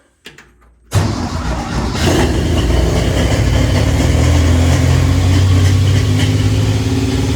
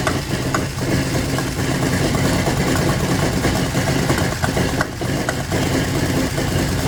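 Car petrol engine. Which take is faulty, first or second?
second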